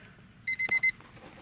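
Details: 1999 Honda Civic LX that won't start and overheats: four quick high beeps with key on, normal dash warning chime showing the battery supplies power. Ignition-on warning chime.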